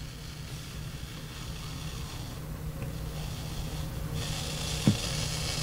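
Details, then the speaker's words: Vintage DeArmond 1802 Weeper wah pedal through an amp: steady hum, then a jump in bright hiss with a click as the treadle is lifted from fully down; cause not yet found. "a lot of noise right there what what's going on with that"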